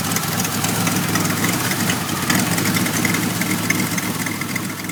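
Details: 1991 Pontiac Firebird V6 still setting codes 33 and 43: lumpy, uneven idle with a loping beat about three to four pulses a second; rough idle, cause not yet found.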